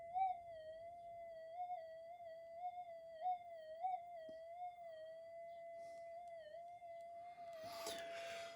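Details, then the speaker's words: Minelab GPX 5000 metal detector in Double D mode, AD797 op amp output (pin 6) on the side that should be silent: steady tone around 650 Hz that wobbles and swells, fault still present; unwanted signal on silent channel. "pin six is your output and this one should be nothing and this one should be alive so we'll just see if we've cured it no it's still"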